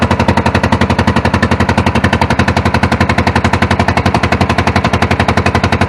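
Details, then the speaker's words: Hamm DV3K roller/packer diesel bought as inoperable at auction, first runs after valve check with oil pressure: loud, even hammering knock about three per second over diesel clatter, smoking less and less; owner suspects compression or a misfiring, non-atomizing injector, possibly fuel or oil burning. "I don't know if it's running or she's on fire getting better smoking less and less I have a feel it could be some fuel I don't know could be oil that last little bit and the way it sounds I don't know if that's compression or if that's a injector not fire and not atomizing"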